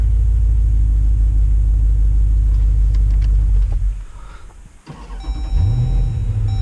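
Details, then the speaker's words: 2014 Jeep Grand Cherokee SRT V8 starting right after installing a Proflex Commander E85 conversion kit; starter cranks briefly, engine catches at once and settles into a steady, even idle, no fuel leaks; normal start. "starter up there's no fuel leaking anywhere which is good sounds like it's running normally"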